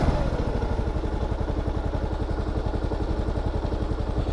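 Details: KLR 650 single-cylinder, first ride of season, before full warm-up: low-idle thumping with beats bunching and spreading unevenly, revs intermittent instead of consistent; unsteady idle, problem not yet solved.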